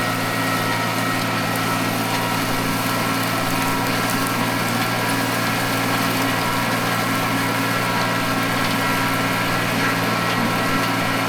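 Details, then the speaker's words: Mitsubishi MT200 mini tractor diesel after a full engine overhaul, break-in done, breather no longer venting, running during plowing: smooth even low hum with no knocks or rattles; the engine is quiet and healthy. "Бачите, не сапунить вже обкаточка пройдена. Зараз ще раз показую пасік. Супер. Шепоче двигун."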